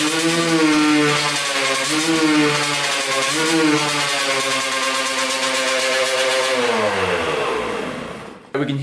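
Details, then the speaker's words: Kawasaki KX125 two-stroke with a leaking carburettor that seems to lack its needle; revs rise then bog badly at full throttle and die; owner suspects power valves not opening, will check reeds and carb. "kind of bog out when you do full throttle so when you go all the way down you can hear it bog out really really bad"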